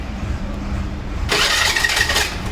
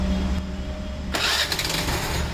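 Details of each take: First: Hero or Honda scooter (e.g. Maestro, Duet, Pleasure, Activa): harsh scraping grind when the self-starter engages over idle, as the starter gear rubs against a bent crankshaft end. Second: Hero/Honda scooter after repairing a bent crankshaft that caused noise on self-start: starter spins and the engine picks up smoothly into an even idle with no knocking or grinding, a normal start.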